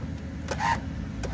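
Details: 1971 Oldsmobile Cutlass convertible, engine idling after about 15 minutes of running, during a pre-purchase inspection: short bursts of electric motor whir from the convertible top motor over a low idle rumble. The top motor works normally in both directions.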